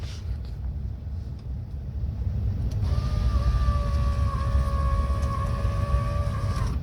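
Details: Land Rover Discovery 2 left-hand door after fitting a replacement electric window motor: steady mid-pitched whine about four seconds as glass travels, smooth; window motor working properly.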